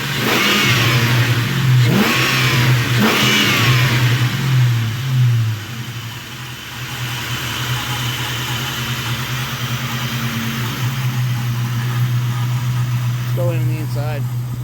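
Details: Engine of a 1997 Mustang, months after a rod bearing replacement, revved a few times sharply, rising and falling cleanly, then settling into a steady, even idle with no knocking; an odd hum is noted.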